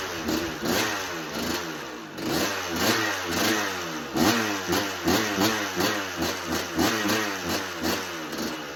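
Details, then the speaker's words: 1986 Kawasaki KX125 two-stroke with spark regained and a clean carb, run without choke with the idle screw raised. Short blips about once a second rev and fade with no steady idle; it still won't idle. Cause suspected, not confirmed. "Okay. Doesn't want to idle. Turn the idle up a bit more. [Music] still doesn't want to idle."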